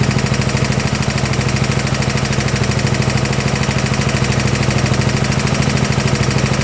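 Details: 1972 Gravely 816 tractor, Kohler Command 18 engine: heavy steady knock about twice a second, loud and unrelenting; engine blown up, seemed to worsen while running.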